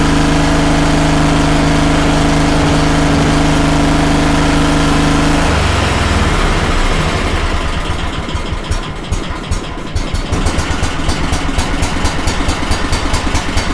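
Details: Kohler 18 twin on a Walker mower at idle, new NGK plug fitted: steady at first, then an uneven, lumpy pulse about 140 a minute; running on one cylinder only, carb problem considered.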